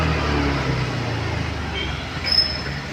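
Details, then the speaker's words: Honda Activa 6G BS6 with a self-start fault (no reaction on the starter), kick-started before the repair: low, even engine putter settling steadily with no misses or knocks; idles fine once kick-started. "அதே மாதிரி kicker start பண்ணோம்னா கரெக்டா இருக்கு"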